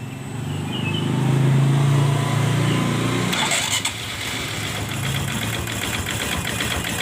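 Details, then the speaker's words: Honda Supra X Helm In motorcycle engine, clutch removed, exhaust fitted, idling and revving with a rough, fairly regular knock about three or four per second; rough engine knocking, suspected from the connecting rod (setang seher), not the clutch. "dengarin berarti suara yang kasar ini ada di daerah sini suaranya ada di daerah sini yang ada di daerah sini komponen partnya yaitu Setang Seher berarti ini motor berisik yaitu dari bagian setang sehernya"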